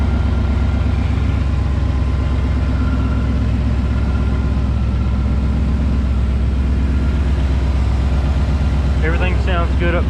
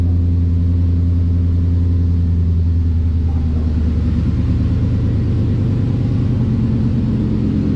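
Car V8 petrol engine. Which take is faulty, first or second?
second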